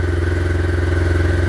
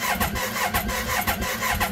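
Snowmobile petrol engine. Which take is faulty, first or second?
second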